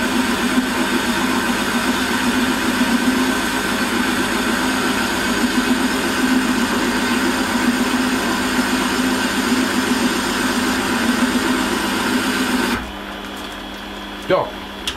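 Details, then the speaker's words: Holzmann ED400FD lathe, automatic feed, 1 mm infeed. Steady, even hum with no chatter through the whole cut, then it winds down; noise clearly lower, vibration near zero. Normal lathe cutting. "und da ist jetzt auch mit verführung ist jetzt das geräusch deutlich geringer und die vibrationen fast fast gleich null"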